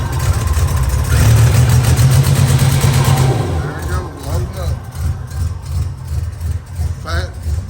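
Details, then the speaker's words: 1987 Buick Grand National turbo, 32,000 miles, abandoned 12–13 years, after a part swap meant to cure the bloop-bloop loading up: deep uneven burbling rumble about three beats a second, still fat with fuel smoke; vacuum lines rough, cause unconfirmed. "So fat. So much for that. And as you can see, that was fuel smoke. And it was fat."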